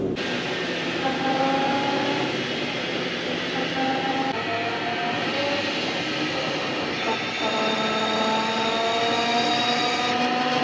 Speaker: but uh you definitely got a pinion bearing it's just a howling